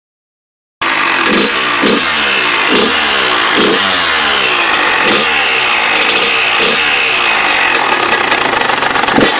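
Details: KX100 two-stroke with fresh motor: engine fires up and revs with a rough rattling knock about four times a second under the exhaust crackle; owner suspects the power valve, source unconfirmed.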